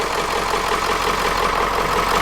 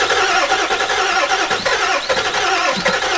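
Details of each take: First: Ford E350 4x4 van with 7.3 diesel, swapped engine at first start after glow plugs: even, steady diesel clatter at idle with no misses or stumbles, sounding like a dirty old 7.3; normal idle. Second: Ford E350 4x4 van, 7.3 liter diesel, first start attempt, one glow plug burnt off. Starter churns at an even rapid beat without firing; extended crank, no start; owner suspects glow plugs were not held on long enough.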